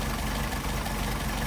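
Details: Solex carburetors on test, idle speed set too low: slow, loping idle with widely spaced low thumps at only about 550 rpm, with throttle linkage disconnected so each carburetor runs independently; to be raised to about 700 rpm.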